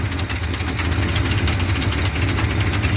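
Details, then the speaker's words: 1979 Chevy C10, V8, at idle: busy, fast top-end clatter over the exhaust note, rattling from the back. Engine found to have zero oil, cause not confirmed. "It's still got the noise. Hear it rattling back there. Got something going on back there."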